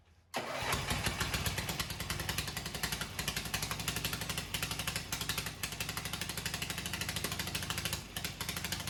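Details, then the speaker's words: Cub Cadet 129 with a newly installed re-power engine, first start before the exhaust and wiring were finished: fires quickly, then settles into a steady, even, rapid beat with no misses, knocks or rattles; healthy running. "Music to my ears. So she runs good."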